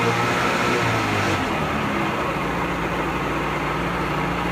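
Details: Pelin Nomad boat's old two-stroke outboard, not quite cold, on fast idle with lever forward after a crank; steady, even, unbroken drone with no misses or knocks, a smooth normal runner; only a drip from the telltale out of water.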